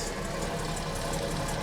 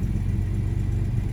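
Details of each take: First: 1975 Jaguar XJ6 coupe (XJC, Series 2, US California spec), first run after sitting: steady idle with quiet tappets and healthy valve train, over-choking as water chokes warm up, oil pressure 60 psi, likely old fuel; normal idle. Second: 1975 Jaguar XJ6 coupe (XJC), US California spec, long-sitting, cold on water chokes: steady deep rumble at fast idle, no tappet noise, strong oil pressure, charging; over-choked and rich, won't idle unaided.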